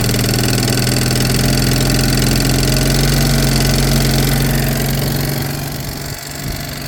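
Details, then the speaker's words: A friend's small Piaggio buzzing steadily, then the note sags and wavers near the end; it has good strong spark and fuel is spilling; owner suspects a bunged-up carb and dislikes the note change; cause not confirmed. "see something sounded not right there or I don't like the note change in the engine that I don't like that"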